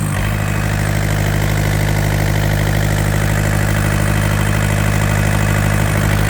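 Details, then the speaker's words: Yanmar TK486 2-liter four-cylinder diesel engine, running after getting it started with fuel shutoff jumped: steady even clatter at idle with faint turbo-like whistle, no misses or knocks; healthy despite fuel leaks from open injector lines. "Actually sounds pretty good for a little 2-liter 4-banger diesel. It's got a nice little whistle to it. Almost sounds like it has a turbocharger."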